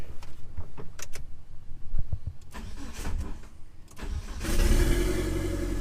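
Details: 1997 Mitsubishi Eclipse GSX 6-bolt swap, long-sitting engine, after rewiring cam angle sensor: a few seconds of cranking, then catches and settles to an even, steady idle without misses or knocks; first successful start.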